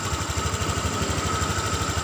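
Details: Honda Vario 150 eSP scooter: rattle absent at low rpm, krotok-tok at high rpm. Fast, even clatter over the engine; holding the rear radiator filler cover silences it. Body panel rattle from the loose cover.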